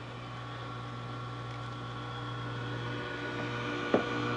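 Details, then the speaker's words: Dell Inspiron N4020 laptop processor cooling fan: steady low hum with whine on top growing louder as it spins up; noisy, failing fan, risking overheating. "this is a dell inspiron n4020 made in china and the fan in it is noisy"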